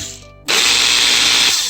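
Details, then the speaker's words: Makita GA5010Z 120V 10.5A angle grinder plugged in: harsh gritty high-pitched roar with grinding from bevel-gear reduction section; suspected worn bushing or bearing, possibly wedged bevel gear; later fails to turn. "and I can hear the grinding sound from the gear reduction part with the bevel gear uh seems like we might have some worn out bushing or bearing"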